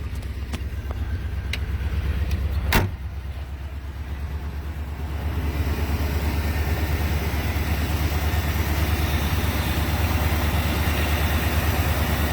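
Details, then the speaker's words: 1984 Jeep Grand Wagoneer with a newly rebuilt AMC 360 V8, new water pump, fuel pump, distributor, plugs and exhaust manifolds, 187,000 miles on the vehicle. Steady, quiet, even idle with no knocks, ticks or misses; normal. "See, like I say, it's got 187,000 miles on it. See how quiet and smooth it is?"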